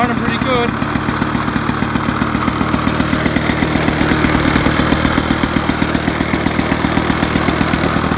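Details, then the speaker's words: Rare 1980s Victa Vortex two-stroke lawn mower, primed three times, test start: quick, steady popping holding an even beat without stumbling; she's running properly. "anyway let's see how it goes [Applause] oh she's running"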